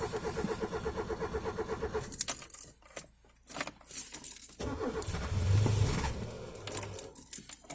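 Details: 1987 Peugeot 205 1.4 GR, Douvrin X engine, started after three months off the road: two seconds of rapid even cranking that fails to catch, key jingle, retry; hard start as sticking choke couldn't reach full choke.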